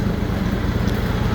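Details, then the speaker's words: Simplicity/Ferris-built Derby zero-turn mower engine after ignition coil/module replacement: steady, even idle putter, then revs with no exhaust popping. It previously popped through the exhaust at higher RPM. "how I had popping noise coming through the exhaust on this and you can see how quiet that engine is right now we're going to rev It Up and there's absolutely no popping"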